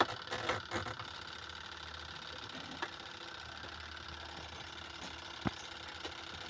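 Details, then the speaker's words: Washing machine spin dryer, loaded with clothes, that is noisy and hard to turn: steady high squeal over a low hum while spinning; the cause is suspected to be the bearing or the belt underneath. "So ang problema nito guys ay malangit-ngit yung spin dryer daw sabi ni customer. So i-check natin kung anong ah yung dahilan. So ang possible rin ditong dahilan ay bearing or iyung belt sa ilalim."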